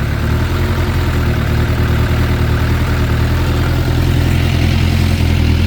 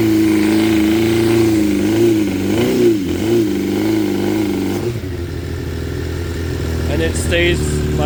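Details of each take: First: 2006 Suzuki GSX600F Katana after carb cleaning and sync, mixture screws turned half a turn out, idle raised slightly: steady even idle, no stumbles, no black smoke, carbs still synced; normal idle. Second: 2006 Suzuki GSX 600F Katana after carb cleaning, carb sync, float height and TPS adjustment, mixture screw turns guessed, idle set about 1,200 rpm: after throttle blip revs hang and sink slowly back to idle; cause unknown.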